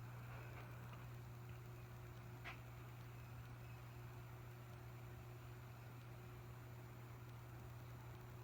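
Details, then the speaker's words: 1981 antique brass 36-inch original 2-speed ceiling fan on low speed: steady low hum with soft even whoosh, no knocks or rubbing, slight wobble on low; runs nicely. "Really nice low. A little bit of wobble on low."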